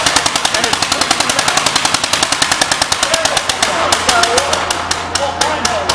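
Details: 1938 Cooper Stewart export Gravely single-cylinder, imported from Darlington, England, running: sharp, even exhaust pops roughly seven a second with a steady beat and no skips; normal running.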